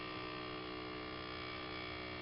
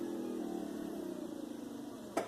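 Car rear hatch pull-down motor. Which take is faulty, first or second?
first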